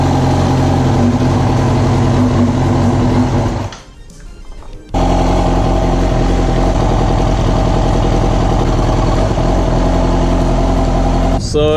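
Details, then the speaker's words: Yamaha R6 at idle: lumpy uneven loping beat like a V-twin, also misfires pulling off in first gear; pulling coils 1–3 drops RPM or stalls, pointing to dead fourth cylinder, found to be a faulty ignition coil. "if I pull either the first second or third kolpak and basically the RPM grew ups or the bike dies so this is making me think that it's either a bad spark plug on the fourth cylinder"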